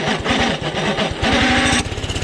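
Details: Doodle Bug DB30 minibike single-cylinder engine, after carburetor replacement, throttle cable repair and tune-up, pulsing unevenly as throttle closes, beat wavering instead of settling; runs better than before but idle unstable, needs adjustment, cause not yet found.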